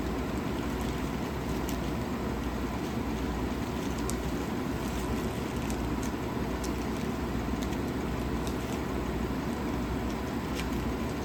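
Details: 1956 Fedders Weather Bureau 6,000 BTU window air conditioner with Tecumseh compressor, rewired and running: steady, even fan rush over a low hum with no knocks or rattles. It runs smoothly and sounds healthy.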